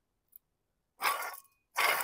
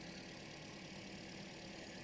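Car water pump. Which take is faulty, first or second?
first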